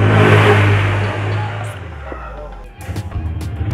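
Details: Honda Beat FI scooter with total electrical failure that wouldn't start by button or kick; jumpered from another battery, it idles with a steady low hum before fading, running normally.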